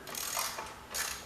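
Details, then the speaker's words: Old rototiller that sat over a year, recoil starter pulled: dry ratcheting whirs, rough and grabby; owner plans to lubricate it, cause not confirmed. "we'll put some lubricant in there I noticed was making that noise earlier but it has been sitting for over a year"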